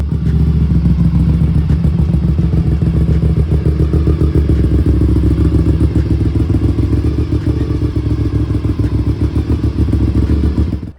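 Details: Honda RC51 V-twin on its periodic start-and-run during storage: a loud, lumpy low chop at about three to four pulses a second holding steady, a healthy idle.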